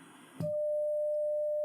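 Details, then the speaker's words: Grundig 4006 stereo tube radio during FM alignment after the 10.7 MHz IF alignment, signal generator set to FM modulation; front-end unit previously tampered with, cover missing; pure, steady mid-pitched tone without buzz or warble. "boom there we go that sounds like a good sine wave is it i don't know but we shall see"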